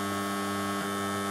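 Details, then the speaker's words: 1970s Blaupunkt Frankfurt car radio retrofitted with a Bluetooth module, paused at full volume: constant low mains-type hum with steady buzz above, processor noise audible; caused by a ground loop. "aber das ist man immer noch zu laut das geräusch und zwar das entsteht durch eine masse schleife"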